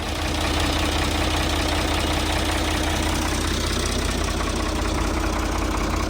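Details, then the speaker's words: Old Ford diesel tractor with mechanical injection, after radiator reinstall and adjustments: steady idle with an even quick injector tick, about three per second, no knocks; normal diesel idle. "I made a few more adjustments and now the only ticking I hear is the normal ticking of a mechanical injection on a diesel tractor so I'm happy with that"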